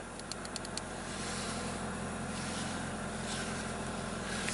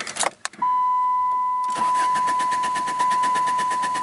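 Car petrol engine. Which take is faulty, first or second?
second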